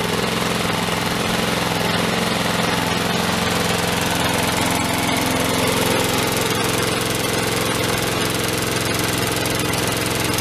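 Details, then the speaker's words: Craigslist mower, fitted earlier with a new starter rope and handle after a broken rope, started with the handle tied down: a loud single-cylinder chug at steady speed with slightly uneven firing, running a bit rough. "Well, a little bit rough. Still run."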